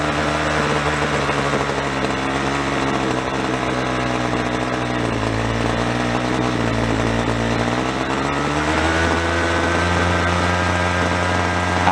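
Small two-stroke buzzing unevenly, revs sagging and picking back up as the low-speed screw is turned richer; the low-speed mixture was running lean.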